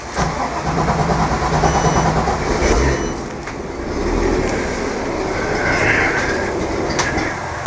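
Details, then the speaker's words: Boat 6.2 L MPI fuel-injected port motor during winterizing, cold start in neutral: catches and settles into a deep, even rumble at idle with outdoor clatter around; healthy normal idle. "neutral cold fuel injected but still Grumble Grumble"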